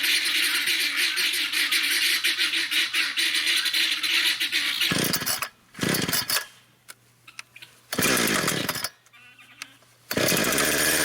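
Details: Brand-new Husqvarna 460 Rancher chainsaw, first run ever: screams at full throttle, drops to a steady idle between cuts and snaps back cleanly; strong, even running with no misfire.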